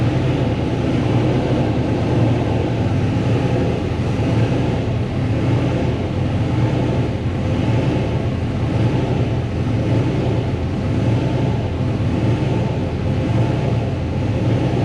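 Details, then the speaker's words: Nissan race car engine after wall crash and oil loss, accessory drive belt left off because radiator was smashed against it: runs steady and even but sounds bare, none of the usual belt-driven whir. "Man, it sounds like a weird item. Yeah, I know. I forgot to put the belt back on because when we took it apart, the radiator was so smashed up against it."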